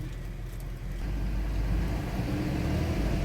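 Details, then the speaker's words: Porsche Cayenne VR6 (iron block, aluminium head), running at idle: deep, uneven rumble with RPM hunting up to about 1500 and dropping back, vibrating, also causing rough gear shifts; diagnostics show nothing; faulty PCV valve in valve cover. "الار بي ام كيلعب بزاف، ها نتوما كيطلع حتى لواحد ونص وكيعاود يرجع. شوفوا المحرك ديالها، سمعوا المحرك كيفاش كيدير الفيبراسيون وماشي ثابت."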